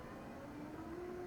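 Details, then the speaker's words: Olympus TG-5 camera zooming: thin whine climbing in pitch, louder than usual. Zoom noise is common even on new TG-series units, but this one is noisier than normal; cause unknown. "Very noisy, you hear that? Common, I'm not going to say issue, because even out of the box with brand new Olympuses in the TG series, this is just something that I hear. This is actually a little more noisy than normal though."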